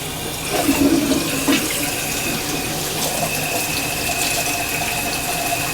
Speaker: I bet you feel the water's going down slow. Probably a toy. Yeah, it's going down slow. Yeah, there's something in there.